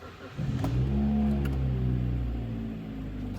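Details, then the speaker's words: 2009 Kia Ceed 1.6 G4FC, 177,000 km, rebuilt for oil consumption of 1 litre per 1000 km and knock, first start cold with climate off: catches quickly, smooth quiet even idle, no knocks or ticks; normal. "так всё работает ровно работает тихо Это самое главное"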